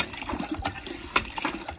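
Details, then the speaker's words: Hand pump on a DIY hand-drilled emergency water well that has lost depth to silting, after drawing about 10–11 gallons: irregular clicks and splashy gurgles with no steady water draw; the pump is sucking air as the low well runs dry. "sounds like we're getting low making a weird noise in there yeah I can hear it yeah"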